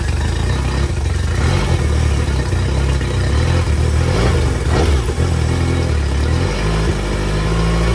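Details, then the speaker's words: 2005 Yamaha T50TLRD 50 hp outboard after head decking and new head gasket, compression restored: lumpy running with uneven stumble; misfire, possibly old plugs or issues from sitting, under further investigation. "all right guys well she's back to running seems to have a little bit of a miss or Uh something's acting up with her so we're going to do a little bit more investigating"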